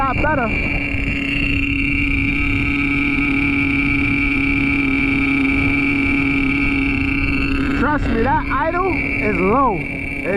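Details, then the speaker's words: Traxxas T-Maxx with OS .18TM nitro engine and RD Logics dual pipe, which leaks back pressure and was hanging: steady high-pitched buzz holding an even low idle without hang-up or surging, loud pipe note, running clean. "It's just leaking too much back pressure. It sounds good and everything."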